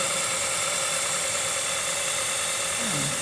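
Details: 2006 Honda Element at idle after fixing power steering pump O-rings that let in air: smooth steady idle with even hiss, no groan or whine; power steering pump now quiet.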